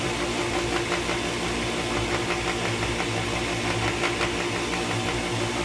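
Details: Pentair WhisperFlo pool pump after bearing replacement: steady, rough mechanical hum with faint rhythmic pulsing, still noisy; cause not pinned down.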